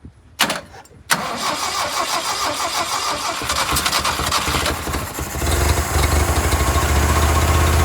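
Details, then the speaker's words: Old Toyota forklift, sat over 10 years, fresh battery fitted: starter churns the engine in an even, rhythmic chug about four beats a second with compression sounding even, but it never fires; cranking, no start. "It's trying to start. Oh, it is? Yeah, see? And it sounds like it has compression."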